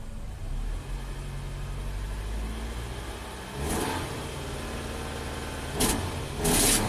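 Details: Nissan Sentra after a shorted 5V reference fault, with a vacuum hose disconnected and a duct-taped air tube; idles unevenly, then stumbles and sputters as rpm drops, running lean with fuel trims near 25 percent.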